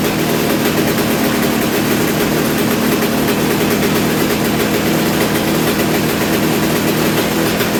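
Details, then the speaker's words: Kawasaki KX250 two-stroke, rebuilt, carb still needing tuning: steady raspy idle hanging high as if running away; idle screw to be backed out, cause not confirmed. "it almost like I said it really sound like it was going to run away there so I'm gonna start it back up here and see what happens hopefully nothing catastrophic"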